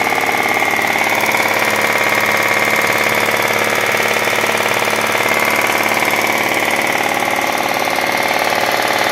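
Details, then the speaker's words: Mazda Xedos with a 220 hp engine and automatic transmission, bought used with a known engine knock: steady running with a hard, heartrending metallic knock about three times a second over the idle; loud internal knock, cause not yet found. "тачку такой душераздирающий стук у нас"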